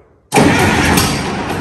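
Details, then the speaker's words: Replacement indirect-injection diesel engine pack in a Caterpillar 215 excavator, idle for nearly 30 years, started after glow heat on new batteries with no fuel added: silence, then a loud clattering catch into a rough, steady idle; it started fine. "started well I don't think it can run for long because we've got no fuel but"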